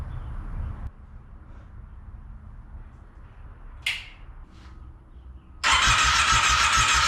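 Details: Monster golf cart first start after new fuel pump, temporary gas tank: uneven sputtering run that lurches and stumbles as if on one cylinder; choke being adjusted, idle later adjusted.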